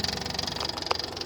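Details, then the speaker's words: Army MEP-831A 3 kW diesel generator with single-cylinder Yanmar L70, 16 years old and long sitting outside, after replacing diodes from a parts machine: rapid even ticking about thirteen beats a second over a thin whir; electric fuel pump and inverter cooling fan running normally. "and now that electric fuel pump is running so we can actually hear the electric fuel pump that's this one down here and it's running and I watched this fuel bolt fill up we also hear the fan running on the inverter and I can feel the air blowing"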